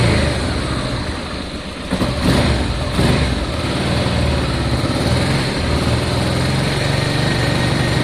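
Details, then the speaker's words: Honda Deauville motorcycle after carb clean, first start on choke, low fuel, fuel pump reconnected: even, steady run with clean throttle blips, no knocks or misses; normal running, sounds smooth. "That sounds very good. Sounds smooth."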